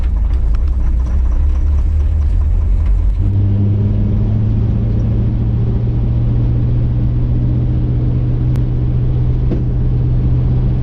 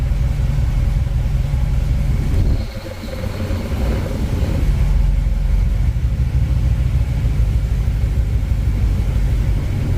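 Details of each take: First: 1959 Chevy El Camino, first drive after 29 years off the road, accelerating. Steady engine drone with sharp cracks and pops over big bumps; a grinding noise on left turns, driveline noise mainly in second gear. The cause is a loose driveline carrier bearing with missing bolts. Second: 1959 Chevy El Camino, off the road 29 years, after the driveline carrier bearing was repositioned and bolted into the crossmember. Rolling out in reverse there is a steady low rumble with no clunks, knocks or whine underneath; quiet, healthy driveline.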